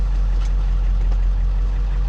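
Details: 2002 Ford F350 Powerstroke diesel, which idled with no throttle response and dead gauges, now with gauges and warning lights working again, cause unknown: steady even low smooth diesel idle rumble, no knocks or misses. Finding: normal idle.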